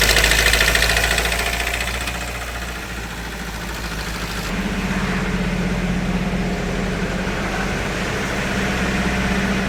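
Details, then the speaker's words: Hyundai Creta diesel after engine work elsewhere, timing tensioner already replaced: idles with hard, regular rattling knock three to four times a second, plus blow-by, white smoke and starting trouble; diesel engine knocking at idle. "फिर से यही समस्या आने लगी engine में से कड़कड़ sound आने लगा"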